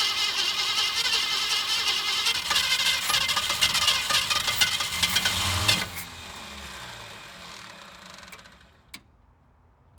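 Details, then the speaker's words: 1967 Ford Mustang convertible, first start after 29 years parked, cold snowy day: catches and runs ragged about six seconds, then fades and dies; runs fine but isn't getting fuel, fuel starvation. "well we know it's going to run it's just not getting any gas or poor gas fine for a minute okay it runs fine it's just a not getting any fuel"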